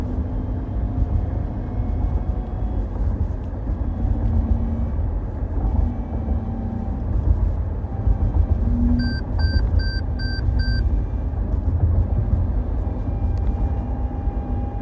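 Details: 2017 Toyota Highlander XLE accelerating on road: faint thin high-pitched whine over heavy road rumble; owner suspects transmission failure, not confirmed.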